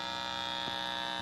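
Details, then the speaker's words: Constant, steady-pitch electrical buzz from an Insignia sound bar fed by a SXM radio over 3.5 mm cable through chained splitters; the splitters cause the buzz. One device at a time, or a Bluetooth 3.5 connect, ends it. "but it's not so bad but with all the splits it really sounds bad so you know the less place you got the better off you are"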